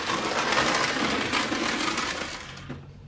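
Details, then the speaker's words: Carrera BMW 2002 slot car with magnet removed, lapping the track: fast buzzy clatter at a few ticks per second, fading at the end, from out-of-round stock plastic wheels, hidden when the magnet was fitted; to be fixed with CB Design wheels. "If your wheels are out around like it is in this case, quite often you don't notice at all with the magnet in the car. Once we take the magnet out, it's far more obvious."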